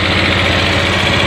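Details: Honda Vario 125/150 FI scooter just started after fitting a new ECU, following a blowing 25A ignition fuse: short burst of steady, even putter at idle with no hunting or dropouts — normal idle.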